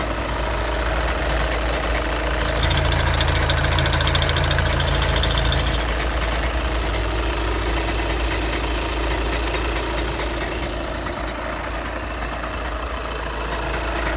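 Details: 2011 VW Passat B7 2.0 TDI CFFB 140 PS, DSG automatic, 277,000 km; diesel idle, steady low drone with regular rattle about three per second from gearbox end; dual-mass flywheel suspected, not confirmed.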